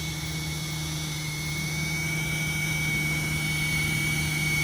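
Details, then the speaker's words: Engine with 29,000 miles and the engine cover removed runs with a loud steady roar and a thin high whistle on top, with no clear knock. It sounds abnormally loud; the mechanic suspects a vacuum leak and plans to pull codes and check fuel trims. "it sounds so awful I haven't had one that sounded like this yet"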